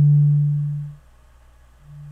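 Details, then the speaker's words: Adcom GFA-555 power amplifier left channel after bias adjustment, mic at speaker, 150 Hz test tone: pure low hum, smooth and undistorted, fading then returning steady; no more crossover distortion, channel reproduces cleanly. "it sounds great now no more Distortion"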